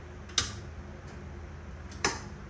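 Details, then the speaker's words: 36V EZGO PDS golf cart, battery at 39.98 V, key on, forward selected: solenoid clicks when accelerator pressed over a faint hum but drive motor never turns; faulty motor believed. "Nothing. The solenoid's clicking down here. You can hear it click when I press the accelerator. Put it forward. Once I let off, it closes. So, we have a selenoid click, but it's not going."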